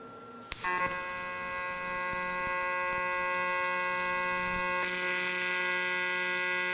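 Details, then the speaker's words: TIG welding aluminum to replace the skeg on a Honda 40 or 60 hp outboard lower unit: steady high electric buzz with uneven crackling, the arc wandering instead of humming evenly; planned fix is regrinding the tungsten and checking the ground. "you could hear that Arc sounded really erratic so once everything's cooled down I'm going to go ahead regrind that tungsten make sure I have a good ground"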